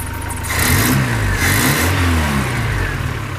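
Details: 1972 Datsun 510, L20B carbureted engine, new alternator, while adjusting the fuel mixture screw, around 716 rpm: settles into a smooth, even idle after a short blip with no stumble or hunting; runs steady.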